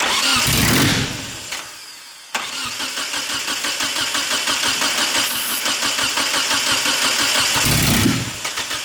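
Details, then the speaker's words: Eagle Talon TSi first start attempt with two gallons of fresh fuel: steady starter churn near three beats a second with a brief catch but no pickup; spark present but no fuel, injectors suspected not firing. "okay so during that start you guys could hear it wanted to kick over so we definitely know we got spark but we're not getting any fuel and we just put two gallons into it a fresh fuel"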